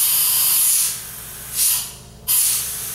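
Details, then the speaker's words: Dental delivery unit high-volume evacuation (HVE) suction check during maintenance: strong steady airflow hiss that drops and returns as the tip is blocked and opened; suction sufficient and working properly. "now we're going to check to see if we have sufficient such hpe and we do"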